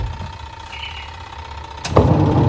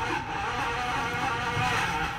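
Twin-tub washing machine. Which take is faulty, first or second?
first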